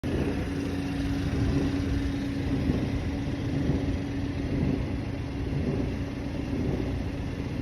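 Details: 2017 BMW 330e (F30) plug-in hybrid, 66,000 km engine, cold start, mostly in winter: a soft, steady low droning roar or wave of vibration with a faint hum over idle. It disappears once the oil warms or after a short drive. Cause unknown.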